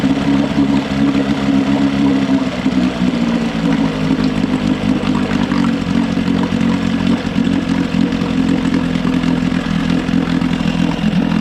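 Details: Johnson 6hp two-stroke outboard after fuel pump and all fuel lines were replaced and carb float corrected: steady fast idle buzz, even note with no misses or surging. Normal running.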